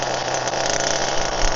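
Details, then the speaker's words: HPI Firestorm nitro RC truck, primed, preheated and glow-started after fixes for stalling when braking: a steady, even idle buzz with a constant low hum and no stumbling; the stalling issue is resolved. "okay taking over a bit quick however the issue I had before is resolved"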